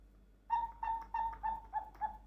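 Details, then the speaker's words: Snow White cuckoo clock, repaired bellows tested after drying, before refitting to the cuckoo: six clean, even hoots at one steady pitch, about four per second, no hiss or air leak; sound is all right. "So, it's it's okay. The sound is all right."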